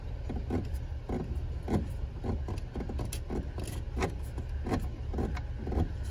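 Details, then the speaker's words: Beechcraft Baron 56TC control cable pulley spun by hand at annual inspection: sharp, evenly spaced ratcheting clicks about three per second; the pulley is grooved by the cable, suggesting incorrect cable tension, and it is to be replaced. "you can see the indentations of the cable in the pulley that usually means that cable tension's probably not right but if you listen we call this a ratcheting pulley is the way it sounds"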